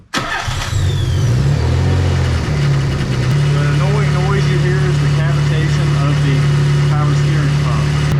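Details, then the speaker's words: 300zx after a turbo swap, engine idling while the power steering is bled by turning the wheel lock to lock: a loud droning groan from the pump cavitating on air in the fluid, which suddenly quits as the fluid fills. "Basically, as you fill it up, it's going to get noisier, but as it gets closer to being cold, noise will quit. All of a sudden, the power steering noise is gone."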